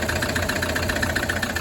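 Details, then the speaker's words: Toyota D4D diesel, nearly 374,000 km, brought in with flat battery: idling with a sharp, regular knock above normal clatter each cycle; cracked piston. "that watches this channel, that is a cracked piston."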